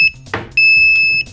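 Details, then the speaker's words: Boiler-room fixed carbon monoxide monitor, 24 V powered, low alarm set at 50 ppm, test gas sprayed; piercing high buzzer beeps, one short then a long steady tone, as the alarm trips at 50 ppm. "LED, the buzzer, and it tripped at 50 parts per million, okay?"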